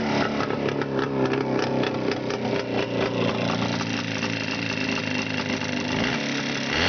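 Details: Engine at a busy idle with a fast, regular ticking knock riding over the engine note; engine knock, cause not clear from listening.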